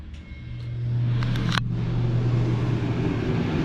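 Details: Jayco Jay Flight SLX 267BHS travel trailer AC switched on at the thermostat: the unit kicks on with a click, then settles into a steady low hum and even fan rush with no rattles; it sounds normal.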